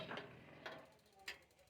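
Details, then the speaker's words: Repaired instant geyser: sharp dry clicks about every half second over near silence when the unit is tilted upside down, stopping when upright; igniter sparking at the burner normally. "जैसे ही वो उल्टा कर रहे हैं आपको टिक टिक की आवाज अंदर सुनाई दे रही होगी जैसे सीधा करेंगे यह बंद हो जाएगा"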